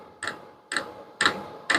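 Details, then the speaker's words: Vevor diesel heater running, near the fuel pump: crisp, evenly spaced clicks about twice a second over a faint steady hiss, the dosing pump delivering a drop per click; normal ticking, no leaks. "Closer look at the fuel pump. That's what you'll hear ticking."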